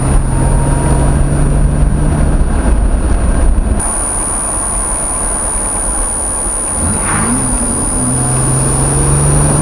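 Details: L36 Pontiac Grand Prix GTP under acceleration, recorded with or without a blow-off valve: deep engine drone stuttering unevenly in the first seconds, then a valve whoosh; engine misfire.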